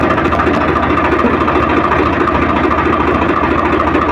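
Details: Swraj 855 FE tractor diesel idling in neutral after gearbox repair (gear noise had occurred in every gear except fourth and at neutral): steady even idle, no rattle or whine, no change when clutch pressed or released; normal idle.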